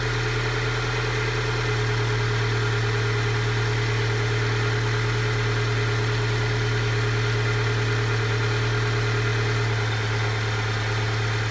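Cold engine idling with a low steady drone that wavers and shifts slightly, an uneven idle rather than a smooth one.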